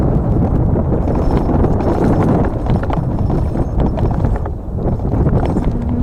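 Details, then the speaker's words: Gogobest GF 700 dual-motor electric mountain bike in mode 3 at 30 km/h on rough ground: fast, uneven plastic clacking as the mudguards slap against the tyres. "Alors ce qui claque, parce que vous entendez, c'est les garde-boue qui claquent sur les pneus."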